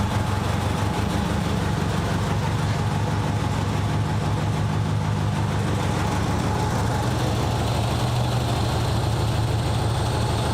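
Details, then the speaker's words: Nissan 200SX petrol engine idling rough and uneven with a lumpy, stumbling beat from one dead cylinder: number 2 works, number 1 not firing; owner unsure if wiring or injector, 12 V present on both injector sides. "Number 2 is working. So it's just number 1."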